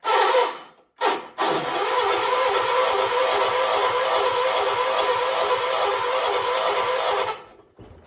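Long steady grinding crank at about three turns a second that never catches; engine is cranking but not starting.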